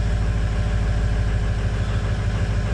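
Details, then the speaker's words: 2005 Ford 6.0 Powerstroke diesel after no-start repair (standpipe and dummy plug update, cleaned IPR valve, new HPOP suction-side O-ring), started after glow plugs warmed: smooth steady low idle, even pulse, no misses; normal idle. "she's starting good sounds good let her ride"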